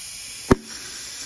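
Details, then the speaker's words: Toyota A340E automatic transmission on the bench, valve body removed, air-testing hydraulic passages: position six, the second brake clutch, gives a sharp pop then a faint hiss and second burst; applies firmly and cleanly, a good clutch. "nice and hear that pop yeah that's applying really nice that's a good clutch right there"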